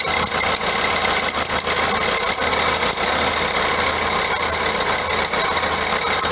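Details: 2009 Vauxhall Astra diesel, complaint squeaky belt and knocking underneath: sharp high chirps at irregular moments over a steady idle; alternator pulley wandering up and down its shaft, chafing the belt's inside edge; idler also suspect.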